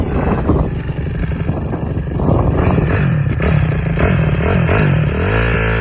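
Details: Honda CRF270 single-cylinder after rebuild: thump settles into a steady beat, then climbs cleanly with throttle; even firing, no knocks or rattles, healthy engine.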